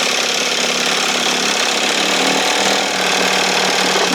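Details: 1968 Evinrude 6 hp two-stroke outboard, restored, running on the stand after starting, throttle just above the timing mark: steady, bright buzzing run at one speed with no misses or stumbles; running healthy.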